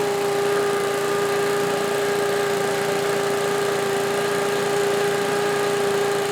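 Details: Old Lindell Litter Gitter yard vacuum's small engine, after new carb gasket and a carburetor adjustment, holds a smooth, steady high drone with even air rush and no misses or surging; running properly and moving lots of air.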